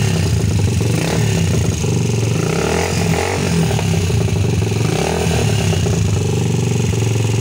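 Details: Rusi 150 single-cylinder motorcycle after fixing a no-start with very weak spark: new spark plug cap fitted in place of the faulty stock one. It now runs with a steady, even thrum, slight rev variation, no misfire, normal running.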